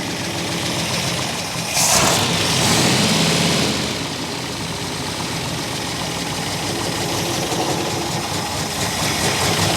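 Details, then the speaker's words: 1964 Buick Electra V8, sat 25+ years and freshly unseized, running after the carburetor was knocked to free a stuck float. Lumpy, uneven idle with an irregular stumble: a definite miss. Idle circuit probably partly plugged; the choke doesn't help. "It's definitely got a miss. Let's see if it'll run a little better with the choke on."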